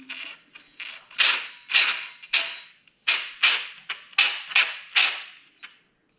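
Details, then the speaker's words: 2001 Yamaha Kodiak 400 cranking with a new one-way starter bearing paired with the old gear: sharp metallic bangs in bursts about twice a second and it never catches. The starter clutch is slipping. "well I found the issue remember earlier when I said hey I'll order this one-way bearing and put it with the old uh gear and it seemed to be working yeah it works great oh there's that noise that's the noise we've been fighting"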